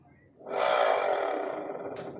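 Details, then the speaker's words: Honda Click 125 V3 scooter CVT with torque drive fitted: loud coarse roar, smooth with it removed; worn torque drive bearing, to be replaced. Worn CVT bearing roar. "Lakas. Pero kapag inalis natin ayan smooth. So ibig sabihin sira na yung bearing ng torque drive niya."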